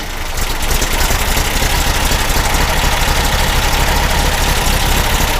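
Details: Freshly rebuilt air-cooled VW engine in a 1959 dune buggy with a new 38mm carb kit, briefly started to warm up; a loud, busy, even idle with typical clatter, steady rhythm and no misfire.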